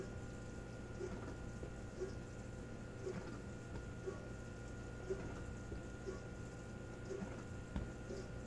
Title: Maytag dishwasher noise